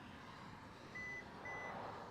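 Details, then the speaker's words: 2024 Hyundai Santa Fe Limited power tailgate: after setting a new opening height, the button is held and two steady electronic beeps confirm the height is stored; the tailgate then reopens to that height. "that's what you need to here those two beeps right there"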